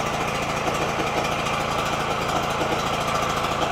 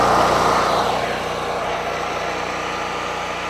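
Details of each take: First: Generator unused for a long time, just started on choke (owner suspects water or sediment in the fuel bowl): fast, buzzy single-cylinder run with an uneven, hunting beat. Running rough, cause unconfirmed. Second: Generator unused for a long time, after the fuel bowl was drained (owner suspects water or sediment): rough running suddenly clears into a steady, even drone. Now running well.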